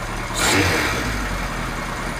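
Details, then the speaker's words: Kawasaki Z1 four-cylinder, about 50 years old, air filters off, after vacuum-syncing the carbs and turning air mixture screws for a richer mixture: even idle, quick blip, drops straight back to steady tickover; running clean. "it's ticking over so much better since I adjusted the air mixtures on all four carbs so it should be now running richer so"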